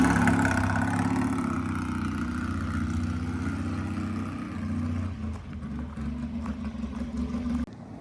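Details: 1970 Triumph T100C twin, kick-started: even, steady idle beat picking up cleanly then easing off, no knocks or misses; engine runs healthy, accelerates and brakes fine, though the gearbox won't shift beyond second.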